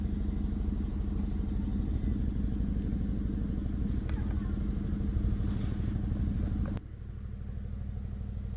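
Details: Chevrolet Malibu with P0300 code: lumpy idle with an uneven stumbling beat about three per second over exhaust drone; compression passed at 180 psi, cylinders 2 and 3 misfiring from failed coil pack, replaced and running good.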